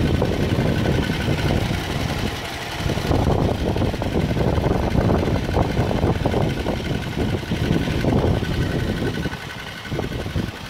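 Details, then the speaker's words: 2014 Jeep Wrangler Rubicon Unlimited at 90,000 km (55,000 miles), phone held low under the vehicle at idle: rough, rattly whir that goes away with the clutch pedal pressed and returns when released; worn clutch release bearing, due for replacement. "Clutch in, and out. So that's the clutch throwout bearing that's gonna be replaced this week."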